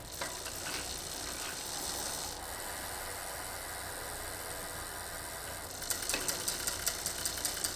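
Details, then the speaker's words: Bicycle rear derailleur being indexed while pedalling: steady chain whir turns into sharp ticks about twice a second after the barrel adjuster is turned counterclockwise. The chain is rubbing on the next inner cog, so indexing is out of range. "Une fois que nous entendons un bruit excessif, nous savons que nous sommes en dehors de la plage de réglage acceptable. Maintenant, vérifiez que le source du bruit excessif est en effet de la chaîne frappant le prochain pignon intérieur."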